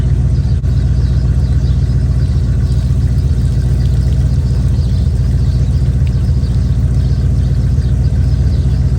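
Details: Chevy square-body barn-find truck, automatic V8 (called a 350), after timing set by ear and a distributor, carburetor and ignition tune-up: steady, even idle with a smooth low rumble, no misses or knocks; motor running decent.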